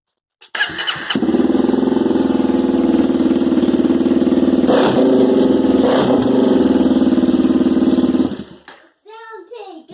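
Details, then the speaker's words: 2021 Honda CRF300L with a counterfeit eBay FMF exhaust (aluminum rivets, poor silicone sealing), fired up: loud, raspy, rattly bark with a tinny buzz. Loud harsh exhaust note from the fake muffler. "it did not sound pretty good all right guys back at you to show you what i got here buyer beware do not buy this system from ebay unless you want to buy junk"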